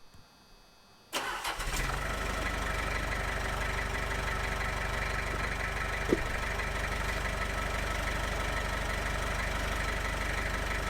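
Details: 1995 Gehl 5625SX diesel skid loader, hard-starting problem traced to glow plug relay. Quick crank, catches and settles into a steady, even diesel idle with light regular clatter: starts and runs normally.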